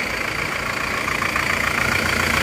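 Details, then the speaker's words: Isuzu Panther turbo diesel in a comparison of replaced versus reversed original liners: steady idle with a faint turbo whistle and an even beat, no rough knocks; sounds the same as the other engine, normal idle. "Sudah sama jadi suara mesinnya Turbo seperti ini bagus"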